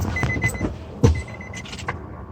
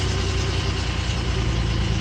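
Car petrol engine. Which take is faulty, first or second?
first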